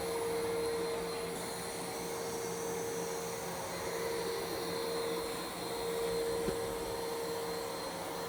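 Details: New iRobot Roomba Plus 515 vacuum-mop combo cleaning a messy floor in back-and-forth straight lines, first of two passes: even steady motor whine, mid-pitched hum and soft brush swish, no rattles or strain; healthy.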